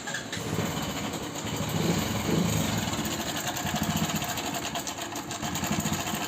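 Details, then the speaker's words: Hero Passion Pro motorcycle with customer complaint of excessive engine noise, started on self-starter: light, uneven clatter through the idle, louder on small throttle blips; timing chain rattle, chain to be checked. "तो आप लोगों ने sound सुन लिया होगा sound बहुत ज्यादा engine से ए रहा है अब इस साउंड को हमको बैंड करना है तो बैंड कैसे करना है सबसे पहले क्या इसमें चेक करना है टाइमिंग चैन"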